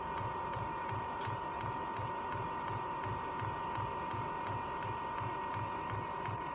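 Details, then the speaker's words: Amazon diesel heater newly installed in a garage, run on a jumper pack because the battery was too weak. A steady fan hum under an even fuel pump tick, close to three per second, while purging air from the fuel line; normal priming. "Had to hook up the jumper pack. The battery wasn't quite strong enough, but it is getting the air out."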